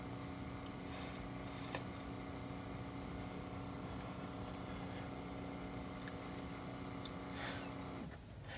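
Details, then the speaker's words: BMW E60 DMTL (tank leak diagnostic) pump, rear passenger-side wheel well by the fuel filler, triggered by a diagnostic tool for 30 seconds: faint steady low buzz that cuts off cleanly; pump running normally. "So, let's just trigger the component and walk back. And you can hear the pump buzzing. It's going to go on for 30 seconds."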